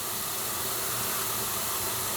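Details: Steady, sharp hiss with no rhythm and almost no low end as water escapes under pressure from a leaking supply pipe in the basement ceiling, heard when the water is turned on.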